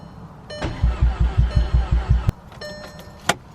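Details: MK6 Golf R after reassembly, first start attempts, priming oil: even starter cranking, about eight strong compression pulses near three per second, then stops; healthy crank with no fire.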